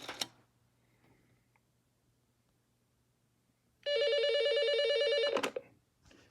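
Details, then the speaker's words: Analog phone connected via a Grandstream HT802 and Raspberry Pi Asterisk PBX: quiet room, then a steady fast-warbling bell ring for about 1.5 seconds, normal ringing on an incoming call. "So, you can kind of hear the the clicking."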